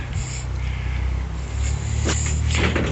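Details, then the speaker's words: 1937 Dodge Brothers door after hinges were adjusted with a pry bar, original hinge pins: door swings and shuts with a soft solid thud, no creak or bind, closing nice and smooth. "let's have to get a port of power in there and tweak them hinges just a little but this door closed real nice"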